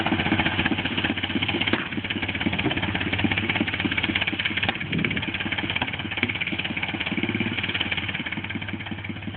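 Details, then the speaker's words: 1957 Cushman Eagle single-cylinder, after ignition timing fix cured a flat spot mid power band: steady firing at about 200 beats a minute, no stumbles or flat spots; healthy. "you hear there's a major difference in the way it's running"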